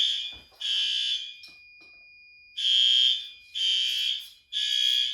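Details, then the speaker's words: Monthly May fire alarm test triggered by activating a heat detector, door released as it should. Loud, high, steady horn blasts in a repeating on-off pattern about a second each; horn strobe working properly. "That strobe is working good. Horn strobe's good."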